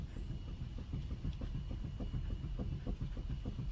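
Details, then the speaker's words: On a Hyundai i30, rocking the front wheel side to side gives a dull rapid knock from a worn outer track rod end. The play is side to side only, with none at 12 and 6 o'clock. "and you can hear that knocking sound. So if you're not getting play in the 12 and 6 o'clock position, and it's only side to side, 9 times out of 10 that means you've got a bad track rod end."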